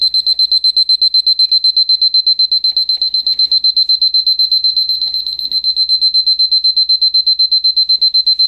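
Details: Battery Lorus (Seiko) Mickey Mouse alarm clock, later version, alarm set for 1 o'clock and switched on: rapid, even high-pitched beeping about four per second; alarm ringing normally.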